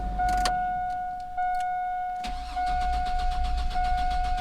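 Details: 2002 GMC Sierra after full tune-up with new plugs, wires, distributor cap, rotor, filters and oil, fuel filter replaced: starter whirs briefly, engine catches and settles into an even, steady idle with no knocks; normal start and idle.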